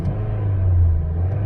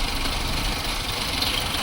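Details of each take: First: 2006 Chevy Cobalt with erratic idle and codes P0068, P0106 and random misfire, warm and held above 1,000 rpm: even, steady low hum with crisp response, no stumbles; runs smoothly above idle. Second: 2006 Chevy Cobalt at warm idle, recorded from outside, with codes P0068, P0106 and P0300. It idles with an uneven shaky rumble and stumbles but runs smooth above idle. MAP, O2 sensor and timing chain tensioner were replaced; owner wonders if a cam is a tooth off.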